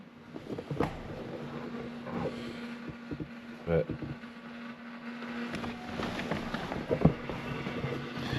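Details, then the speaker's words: 2016 Ford F250 after fuel filter replacement, key cycled: faint, steady low hum as the lift pump primes fuel through the new filter; normal fuel pump priming. "I don't know if you can hear it, but you hear the pump running. So, it's going to start getting all the fuel move back up."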